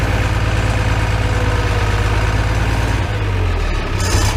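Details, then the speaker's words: Farmall 806 with a new MCV pump, after a hydraulic filter change, possibly some air still in the system: steady low tractor idle with only a faint hydraulic hum; normal idle with slight hydraulic noise. "there's a little bit of noise, but isn't too bad."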